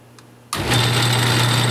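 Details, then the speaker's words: Craftsman 6-inch lathe starting with back gear engaged: steady low hum with faint high gear whine, a little noisy; cause unknown, well oiled, owner thinks it may just need running in. "when I Engage The Back gear section the back gear section is a little bit noisy and you'll hear it right now as I start it up"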